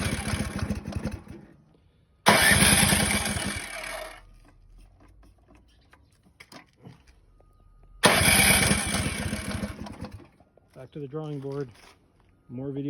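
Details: Ariens deluxe snowblower that ran twice and then wouldn't start after the last snowfall, muffler top removed, fuel on: two bursts of quick, even cranking at about three strokes a second, never firing; crank no start, valve adjustment planned.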